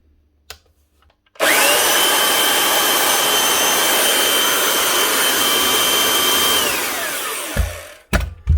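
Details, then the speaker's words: 1998 Makita 9402 belt sander after full teardown, new bearings, brushes and lead: motor winds up to a clean steady high whine without rattle or grind, then spins down smoothly; sounds much better, running like new. "See what she sounds like now. Sounds much better."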